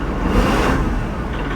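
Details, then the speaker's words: Kubota L3560 HSTC tractor with BH92 backhoe disconnected and hoses reconnected: steady low diesel rumble with no rising hydraulic whine or hum; running normally. "no issues no noise i'm good to go"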